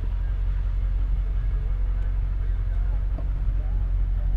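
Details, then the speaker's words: Ford F-250 7.3 Powerstroke diesel after fuel injector replacement for a miss, at operating temperature after 20–30 minutes idling, driving: steady low rumble without knocks or misses; normal running. "i can already tell you the truck sounds so much better after just having idle for 20 30 minutes it sounds good we're up to operating temperature everything looks normal"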